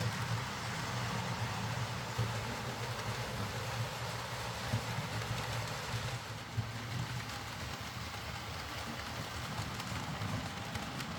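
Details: Hornby R.372 Class A4 "Seagull" tender-drive model loco after repair: stop-start running likely from excess axle oil spoiling pickup; quiet even low motor hum with light rail-joint clicks, smooth steady running, no stutter.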